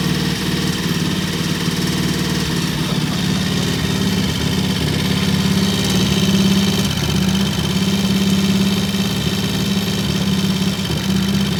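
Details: Vintage British T20M single, idle set high for its "EP system": even, fairly quick beat holding a steady high idle with no knocks or misses; normal fast idle.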